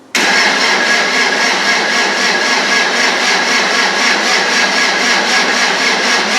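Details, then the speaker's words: Land Rover 300Tdi diesel, old starter, cranked with injectors disconnected and capped, turbo oil pipe off, electric pump bleeding fuel, to prime oil and fuel: steady fast churning whir with even beat, spinning without firing as expected; oil pressure confirmed. "I've got an electric pump on for fuel, so that's bleeding through, and I've got a filter up there. Let's crank it over and see what happens."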